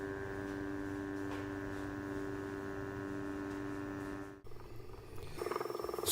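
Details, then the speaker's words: GVM GT-J80D video slider running at about 25% speed, recorded on a Canon S10 camera's built-in mic without lavalier: thin steady motor whine with faint buzzing hum, tone shifting near the end; owner unsure if normal. "is a test without using the lavalier mic of what the audio sounds like on the s10 and it's running at about 25% at the moment in speed"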